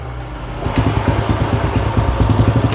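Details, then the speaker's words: Old Honda Legenda motorcycle, previously smoky and noisy, after cleaning and with the exhaust refitted: the engine catches and settles into an even, clean idle with steady exhaust pulses and no knocking, sounding like a new bike. "teman-teman suaranya bersih ya bersih sekali seperti motor baru teman-teman suaranya jadi walaupun motornya kelihatan biasa-biasa aja seperti ini tapi mesinnya Masya Allah bersih seperti motor baru"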